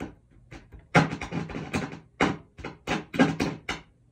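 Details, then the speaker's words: Silvertone 1431 tube amp (6AU6 preamp, 6V6 output, 6X5 rectifier), all original: after the pots were cleaned the controls are quiet, but irregular sharp crackles and pops remain. Crackle comes from the preamp tube, with the tube socket or its soldering suspected. "We can hear that the controls are quiet now. However, there's still a ton of crackle coming from the preamp tube."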